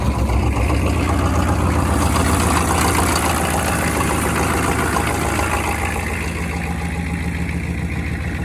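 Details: 6.5 turbo diesel truck idling steadily after a cold start (about 29 degrees at the engine) following torch-warming of the fuel lines; even clatter, firm low rumble, no misses or knocks, a bit of smoke; normal cold-start idle.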